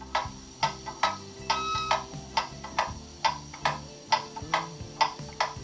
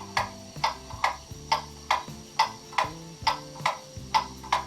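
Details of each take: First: Pendulum clock on test stand after moving it slightly, through beat amplifier: steady tick-tock about 68 a minute, evenly spaced; more even beat, clock in beat. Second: you can hear it's out of beat now it's an uneven tick and top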